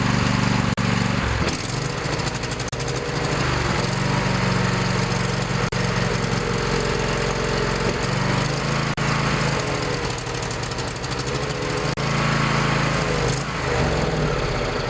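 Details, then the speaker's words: Lawn tractor with Briggs Intech 23 hp OHV twin, fuel valve off to winterize: steady, even V-twin drone for about fifteen seconds, then sputters and dies as carb and fuel pump run dry; engine run until fuel runs out. "As you can see, it didn't take long for the fuel that was left in the carb and the fuel pump to get burned out."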